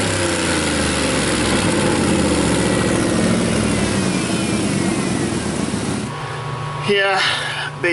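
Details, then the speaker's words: 2001 Dodge Dakota 4.7 V8 with a P0171 code: loud, raspy idle with a quick puffing tick about four per second. Exhaust broke off at the manifold flange with bolts busted, possibly causing choppy O2 sensor readings and high fuel trims. "I think it sounds pretty cool sounds like it's busted off right of that"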